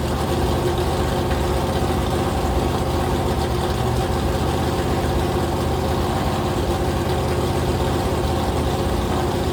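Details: Rebuilt 426 Gen 2 Hemi crate engine (new heads, intake, pistons) on a run stand, flat-tappet cam break-in at fast idle, 50 psi oil pressure, warming to about 210°F: deep even V8 rumble, no knocks or ticks; cam broke in without failure.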